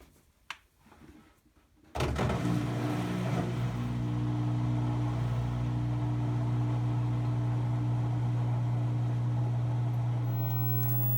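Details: LG front-loader washer in spin cycle: motor hums without the drum spinning, then a high screech for about two seconds; drum turns freely by hand with no noise and the plastic teeth look fine.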